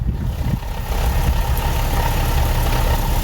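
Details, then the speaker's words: Nissan 370Z (previously frame-damaged) with the mic placed below the car: uneven low rattle at idle when started with the clutch disengaged, changing as the clutch goes in and out. Owner suspects the slave cylinder, a common issue; unconfirmed. "this car makes a very weird rattling sound when i start the car and it's disengaged uh let me start it up and i'll show you the noise that i'm talking about"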